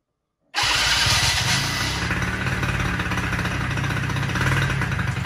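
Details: Polaris Sportsman 90 ATV with cleaned aftermarket carburetor, started manually: engine catches half a second in and settles into a steady, slightly lumpy idle around four beats a second; starts and runs normally.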